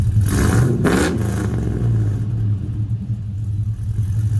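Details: 2000 Chevy Tahoe after 6.0 V8 swap replacing knocking 5.3, with longtube headers, Y pipe, single-chamber muffler before Flowmaster FX fitted: deep V8 rumble swells on quick blips then lumpy throaty idle; normal revving.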